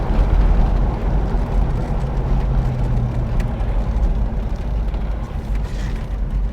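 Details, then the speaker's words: Mercury Cougar V8 with new 2¼-inch Mustang H-pipe exhaust, driving, carb not yet dialed in: deep throaty rumble with steady low pulses, no rattles or blowing leaks; healthy exhaust note. "It's got a nice throaty sound to it, so we'll see how long those springs last."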